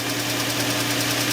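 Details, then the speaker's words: 2004 Infiniti FX35 idling after cleaning the mass airflow sensor and air filter to fix a lean-condition rough idle: steady, smooth, even hum with no stumbling or shaking; problem fixed. "rough idle no shaking is easy so I guess we fix the problem"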